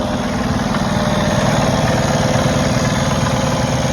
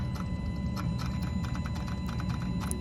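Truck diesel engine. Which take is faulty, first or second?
second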